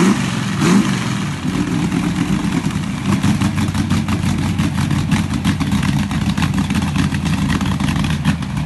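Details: Pontiac 400 V8 in a T37 build after the valves were readjusted, with fresh rings not yet seated: a steady, even lope with no ticking or knocking, a healthy idle.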